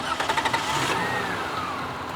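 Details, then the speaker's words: Lexus engine idling just after alternator replacement with a remanufactured unit; smooth, even idle with no hum or whine from the front, the earlier alternator noise is gone, charging about 14.0–14.1 volts. "the alternating noise is gone but i don't trust anyone especially remanufacture stuff"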